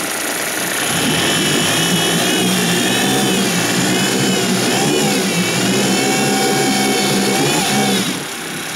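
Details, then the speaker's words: 2006 Suzuki DF50 outboard with 297 hours held at high revs: pitch wavers and bounces as the rev limiter cuts in; idle air valve also knocks. "тут уже начинает срабатывать отсечка."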